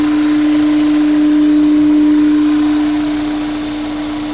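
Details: Honda S2000 with K&N intake: loud, steady single-pitch drone over the engine that eases slightly as revs settle; owner unsure if this intake hum is normal.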